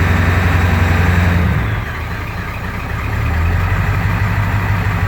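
Deep lumpy idle that sags and surges unevenly over a few seconds instead of holding a steady beat; rough running, cause unconfirmed.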